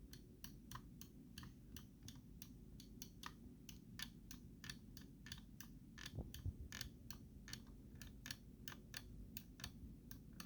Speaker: My mouse has a creaking noise problem depending on certain spots of where I click.